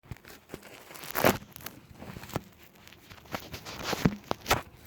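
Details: VW Passat B5+: irregular dull knocks and clunks from the lower steering rack, typical of a worn steering rack.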